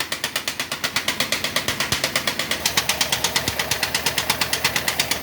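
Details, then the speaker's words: 1.6 16-valve small pickup, pushed in not starting, fresh spark plugs: sharp, even tapping about three per second, loudest low down, heavy crankcase blow-by at oil cap and blue smoke; cylinder 1 zero compression, cylinder 4 not holding, broken rings suspected pending inspection. "Se escucha mucha presión. Y mucha salida por el tapón del motor. Esto indica que podría estar roto los anillos, aunque hay otro tipo de problemas que también puede haber."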